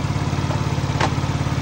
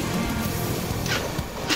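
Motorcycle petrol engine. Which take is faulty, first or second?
second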